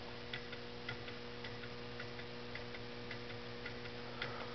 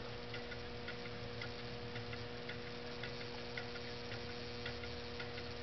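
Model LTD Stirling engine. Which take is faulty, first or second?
first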